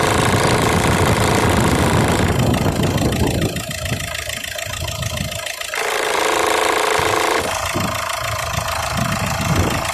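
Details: 2008 Peugeot 308 1.6 HDi diesel, engine running: loud tinny rattling over the diesel clatter at about four raps a second, caused by a split in the upper heat shield where it bolts onto the engine.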